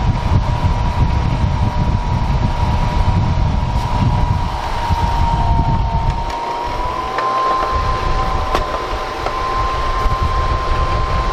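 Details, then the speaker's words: Honeywell ionizing HEPA room air cleaner running with its cover open before cleaning: steady mid-pitched motor hum with airy rush over a low rumble; dust and bugs inside, fan shafts dusty, about to be vacuumed and given a drop of oil to cure a rattle. "There's a bunch of dust down in there. And a few bugs. First thing I'm going to try and do is clean the dust off these shafts."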